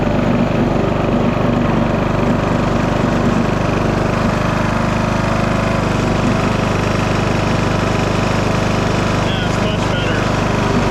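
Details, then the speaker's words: 2009 Craftsman YTS 3000 tractor (21hp Briggs & Stratton) on a test ride after fitting a new 90 in, 1/2 in belt to cure noise and vibration from underneath; the engine drones evenly under load with no thumping or flapping, so the drive is running normally. "We have a new belt, 90 in long, 1/2 inch belt. Let's hope this smooths out our ride here."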